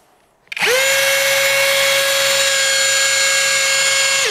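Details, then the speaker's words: Litheli U20 cordless drill at full throttle, no load, audio not turned down: sharp, very loud high whine jumps straight to full speed, holds steady, then winds down; far louder and more unpleasant than the compared Parkside. "Also ich wollte eigentlich gar keinen Vergleich machen zum Parkside, aber jetzt muss man doch mal von der Lautstärke, einfach, dass ihr das mal hört, wie laut der ist."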